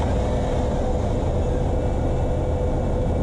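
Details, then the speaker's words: 2004 Dodge Dakota 4.7 L V8 with 117k miles, heard from outside after start-up, revving then settling: a smooth, even low idle rumble with no misses or knocks. The engine is said to work great. "ever ends up real nice comes back down to idle very nice it's it's that the idle very nice"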